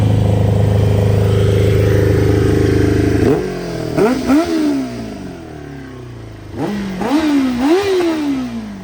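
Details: 1995 ZX7 motorcycle brought back to life, running on its own fuel system: steady even run, then two clean throttle blips rising and falling smoothly with no knocking or misses; healthy engine.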